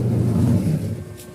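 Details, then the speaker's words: Single-tub washing machine running empty on the wash cycle after repair and refitting of the pulsator: low, even motor hum with a soft swishing rumble, no knocking or grinding; the earlier noise is gone. "bale nawala na guys yung ano yung ingay kanina kasi ang ingay kanina kahit wala pa siyang laman maingay na"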